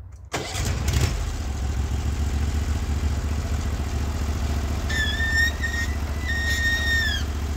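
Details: Norwood HD36v2 bandsaw mill with new roller guides replacing the ceramics, slabbing big black oak in 1.5-inch cuts: engine catches and settles into a steady even drone under load, no bogging, squeal or chatter; band sounds happy, normal cutting.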